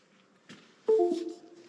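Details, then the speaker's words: Cardo Packtalk Bold intercom connected to a computer over USB for a firmware update; a soft thump, then a short rising two-note chime as the unit keeps disconnecting and reconnecting. "You hear the beeps? It's disconnecting, connecting."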